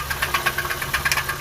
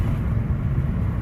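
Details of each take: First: 2007 Honda Civic original engine at idle, before an engine swap: loud, fast knock of several hits a second, uneven but persistent, pointing to the bottom end; suspected broken bearings, maybe even a piston. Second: 2007 Honda Civic after an engine swap that had misfired on all cylinders under acceleration, now with the wrong drive belt corrected: steady, even low drone driving near 3000 rpm, no stumbling or surging; normal running under load.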